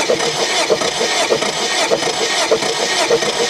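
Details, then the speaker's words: 2001 Kia Sportage, 100,000 miles, broken timing chain, compression test with plugs out: even cranking with matching pulses. This cylinder reads higher than the others, possibly from oil on the valves; compression judged okay. "same thing God you got a hundred and one more and on than the others - but apparently because the oil on the valves"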